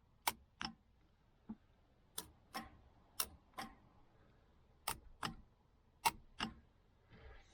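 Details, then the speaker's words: 1968 Chevelle Nomad under restoration, newly installed Grant steering wheel and horn button: sharp dry paired clicks, pull-in then release with each press, quiet background; horn relay switching cleanly and normally. "Okay guys, that's it. You can hear the horn relay."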